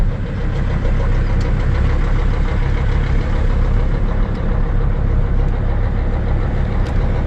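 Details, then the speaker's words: 2006 Sprinter diesel under way after rusty downpipe was welded up: low smooth diesel drone with muffled exhaust, no rasp, puffing or ticking leak; plenty quiet, likely quieter than before repair. "oh yeah that's plenty quiet sound it's actually probably quieter than when i drove it home"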